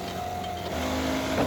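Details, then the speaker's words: Ford Skyliner retractable hardtop, deck lid screw-lock motor modified with a relay to run quieter: a quiet steady motor hum rising slightly in pitch as the screws start turning while the top goes up, which is normal operation. "so you can see how quiet it is very quiet and then the screws will start turning"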